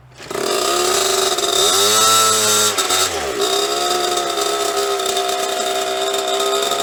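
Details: 1998 KTM 50 small two-stroke with cleaned carburetor fires and buzzes high, pitch dips and wobbles, holds shaky idle but won't stay running; cause unknown, owner wonders about clutch.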